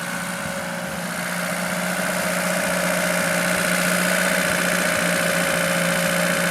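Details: Lada Niva carburettor engine after winter storage, idle problem traced to the carburettor idle solenoid; even steady idle with constant low hum, no stumbling; idling normally.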